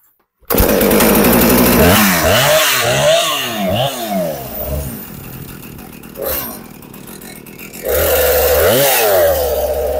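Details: Husqvarna 455 Rancher chainsaw, sat unused for a couple of years and would not start, now running after repair: crisp two-stroke snarl revving up and dropping back cleanly, then steady idle; runs properly.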